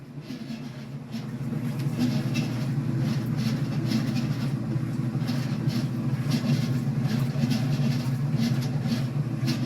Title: Commercial top loader makes loud noise from the pulley